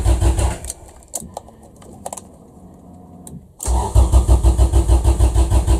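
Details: Honda Civic EF after swapping OBD0 wiring for OBD2: short crank, pause, then steady cranking about three beats a second that sounds close to firing but never catches; plug fuel-wet, spark strength being checked; cranks, no start.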